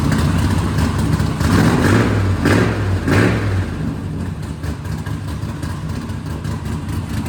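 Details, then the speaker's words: Vehicle "Capone" first start after exhaust extension (old headers, bullet mufflers, 3.5" stainless pipe): deep throaty note, sharp rev blips over steady low rumble, even exhaust tone; much better than before, normal cold start and revving. "Yeah, it's way better. That's amazing how much better it is."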